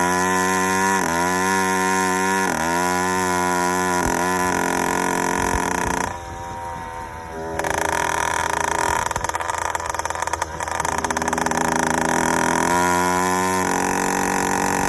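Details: Yamaha YD100 two-stroke with Dio reed valve and 24mm OKO carburetor, choke on: uneven burbling with skipped, doubled-up firing and wandering pitch; four-stroking from an over-rich mixture; main jet change planned.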